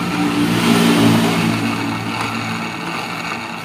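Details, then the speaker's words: Honda Vario 110 scooter running after a workshop visit: a coarse, gritty rumble from the CVT caused by a loose, worn pulley bearing. It is reduced after the repair. "jadi ada suara bearing ini ini bearing baring puli ini suaranya Nah ada suara bearing pully"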